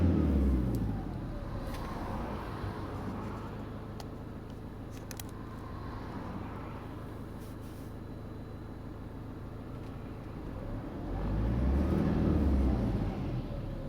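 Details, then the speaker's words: 2007 Vauxhall Movano 2.5 CDTI diesel van (motorhome) with LPG gas injection, warmed up: injector on-time down to 21 at tick-over, idle speed dropped from 810 to 780 rpm; low, even diesel tick-over, no knocks or misses, slight swell near end; normal warm idle. "now you can see now the engine's warmed up the injector on time has reduced to 21 now on tick over you'll also note that the idling speed has reduced from 810 to 780 this is because now the engine is warm"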